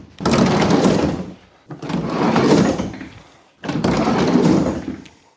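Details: VW Caddy van sliding door runs three times with a rough, rattling scrape each pass; it had become stiff and was wearing paint off the sill because the lower sliding-door roller was broken, fixed by replacing the roller.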